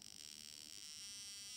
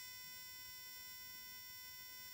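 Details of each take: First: VW Beetle (Fusca) misfiring in second gear at low rpm: steady high-pitched electric buzz with rapid fizzing as one spark plug leaks current and sparks at its insulator base as well as the gap, worsening as it increases; arcing. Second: Spark plugs from a VW Fusca (Beetle) that misfires in second gear at low revs, tested two at a time on a bench spark tester at maximum rate in the dark; quiet, steady high buzz of even sparking, plugs firing normally.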